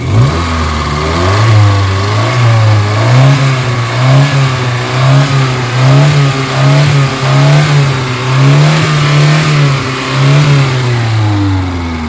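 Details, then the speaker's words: Kia Pride engine with heavy white smoke, vibration and low power, revved; blips surge up and fall back unevenly with a shaky rough note; worn cylinder liner and piston rings suspected, not confirmed. "so totally damage na yyung ano nito Yung kanyang Liner and then piston ring O yun ang mga suspect ko nito piston ring or Liner may tama to guys"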